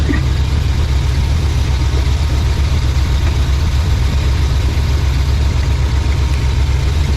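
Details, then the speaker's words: 1987 GMC Suburban just fitted with Evil Energy aftermarket carburetor replacing Edelbrock, one-chamber Flowmaster mufflers: low, even idle rumble, no misses, hunting or knocks; not smoking or smelling rich; runs smoothly. "That thing, hey guys, that thing runs better than old Edelbrock. Sounds good, ain't smoking. Don't smell rich."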